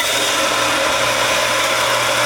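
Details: Shallow well pump motor (it had been humming without running with a waterlogged tank) test-run after replacing capacitor, start switch and pressure switch. Even, steady hum with a constant low tone and airy rush: normal pump motor running.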